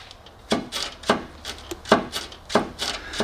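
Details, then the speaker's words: 2002 VW Jetta wagon TDI 1.9 L ALH diesel with front clunk: dull loose uneven knocks about every half second as the lower control arm is levered by hand; torn, separated lower control arm bushing. "Well, let me show you. Observe this area. These bushings are absolutely ripped apart."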